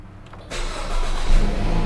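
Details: 2013 Dodge Dart flood car, first start after a powertrain swap, with the fuel pump primed first: a short crank, then it fires cleanly and rises into a smooth, steady idle. It starts and runs normally.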